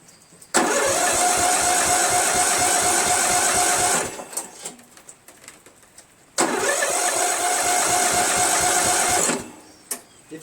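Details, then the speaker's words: Replacement Briggs flathead engine on a Murray lawn tractor, found oil-soaked with a mouse nest, cranking very easily: two cranking bursts of about three seconds with a quick even chug, never catches; owner suspects low compression. "like it's too easy you know like there was not enough depression I'm gonna take the airbox off and blow some go-go juice in there and see if it starts"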